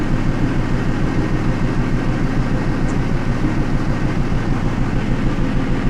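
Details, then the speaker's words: 2000 Pontiac Trans Am V8 at idle during P0171 lean-code diagnosis, one bank-one injector cut out to test fuel trim response; idle lopes with an even, repeating stumble about three times a second; misfire. "we can see that we are getting a reaction on bank one only well you can really hear the [Music] misfire"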